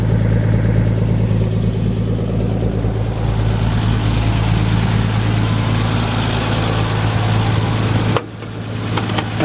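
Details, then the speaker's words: 1948 Ford F1, original matching-number flathead six, 12-volt conversion: smooth, even low idle with steady hum and light solid-lifter ticking, no misses or knocks, then cut off; healthy flathead. "that's just a healthy flathead stick right there you hear that solid lifters topping away"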